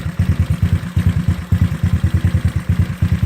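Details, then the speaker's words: GY6 scooter engine, cold start after idle mixture screw reset to about one and a quarter turns, while checking for head/exhaust gasket leak: low uneven lumpy putter, rough idle that seems to struggle; owner considers adjusting mixture. "it does seem like a struggle just a little bit more than likely vibrating morning and normally is"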